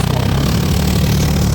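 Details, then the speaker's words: 1990 Canadian-spec Jaguar XJ12 V12 idling hot with an uneven, lumpy exhaust beat; one bank is missing while the other side is much smoother. All injectors fire, and ignition wires are to be checked next. "Now we see it's missing cuz you can see that um the other side is much smoother."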